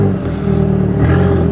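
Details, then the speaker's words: Audi TT with newly fitted exhaust, a few revs; low rumble with a hollow puffing blow from underneath rising with the revs, exhaust leak from the front, later traced to the front downpipe. "so let's give it a a few revs anyway yeah it's definitely blowing it's definitely blowing from underneath you can hear it"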